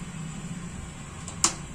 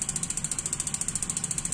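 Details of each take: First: Gas water heater test: a click, rapid even igniter ticking about five sparks a second for eight seconds, then a closing click as the gas valve shuts because no flame is sensed. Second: Gas water heater igniter check: crisp even ticking about ten clicks a second, steady throughout; igniter sparking normally.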